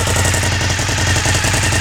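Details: A lowered 2003 Suzuki SV1000 V-twin idles with a rapid, sharp puffing pulse in time with its firing, a suspected exhaust leak near the rear; the motor otherwise sounds healthy, with no tapping or banging, and the transmission is quiet.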